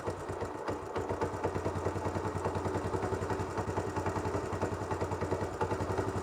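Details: Honda CT110 motorcycle during a basic service with a new battery, idle sounding like it would die until a quick adjustment: single cylinder thumping at roughly 200 beats a minute, even and steady; idle settled and running properly.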